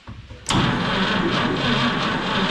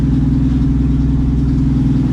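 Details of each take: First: 1951 Chevy pickup, 6-volt points ignition, abandoned 40 years, fuel poured into carburetor: catches right away and runs rough and uneven for several seconds, then starts dying with no tank feeding it. Runs briefly on primed fuel, no fuel supply. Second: 1951 Chevy pickup six-cylinder, 6-volt points system, running after 40 years abandoned in a field; low, smooth, even idle with steady rumble, no knocks or misses, about 20 psi oil pressure, charging.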